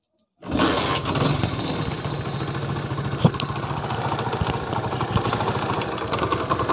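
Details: Single-cylinder motorcycle after tappet clearance adjustment and stiff-kick fix: steady even thump at idle with no light ticking on top; valve train quiet, earlier tick-tick sound gone. Normal idle.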